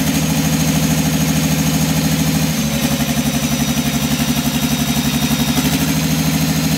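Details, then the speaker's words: Sisu/AGCO Power 84CTAG-4V generator diesel, fixed-speed governor around 1400–1500 rpm: steady thump about 1.5 pulses per second, slightly uneven and changing midway, demonstrated as rough running with a misfire, cause not stated. "Voitais kokeilla, että miten se karjahtaa miltä se kuulostaa käyntihäiriöisenä."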